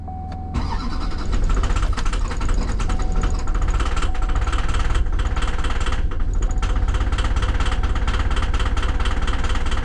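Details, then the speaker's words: 2007 Chevrolet Duramax diesel that blew white smoke and died: long crank, then it catches into a rough, heavy idle in reduced-power mode after glow plugs were reconnected; rail pressure reads too high, and a fuel pressure actuator problem is suspected. "engine power is reduced but it's running he is running even sound like it's hitting on all"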